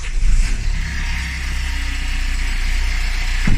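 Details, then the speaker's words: Renault Laguna 3 petrol engine idling: steady rough knocking and crunching from AC compressor area, worse under load, persisting with magnetic clutch removed; cause likely a loose, missing AC compressor mounting bolt. "постоянный стук звук доносится от кондиционера"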